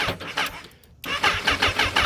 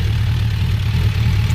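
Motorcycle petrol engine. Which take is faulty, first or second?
first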